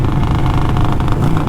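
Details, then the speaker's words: Rebuilt, non-stock Harley-Davidson Sportster with new exhaust, riding while cruising: deep, even burble on deceleration, firing pulses smooth and regular, road and wind underneath; healthy exhaust note on overrun. "but on deceleration that exhaust is nice listen to"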